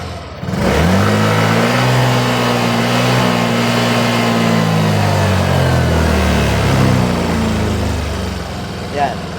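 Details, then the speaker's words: Yamaha Fazzio scooter with check-engine light that dies when hot: at full throttle the revs climb briefly then sag and fade until it stalls, as fuel pressure drops instead of rising (fine at idle); engine bogging from low fuel pressure, weak pump. "So, naka-full throttle yan pero ganyan lang ang pressure niya. Ayan, hanggang sa namatay siya."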